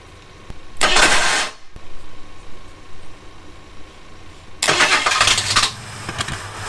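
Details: Abandoned Ford Thunderbird pulled from near Amarillo, about seven gallons in tank: two short cranking bursts, starter spinning hard but engine never fires; a fuel pressure check then shows zero fuel pressure.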